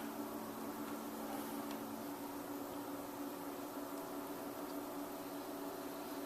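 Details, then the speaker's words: Auction Peavey Heritage VTX amp, unknown condition, just taken off standby, knobs low, input grounded: soft steady hiss with faint low hum, changes with tone knobs, no crackle or popping; normal background noise. "so now we got some hiss. Okay, and that's affected by our tone knobs."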